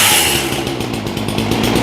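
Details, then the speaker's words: Ryobi chainsaw after carburetor rebuild and new spark plug, previously wouldn't hold a tune: high, buzzy two-stroke rev holds strong and even without bogging or surging, running properly with no retuning needed. "Okay, that's about what I expected out of this one. I expected it to crank up pretty good."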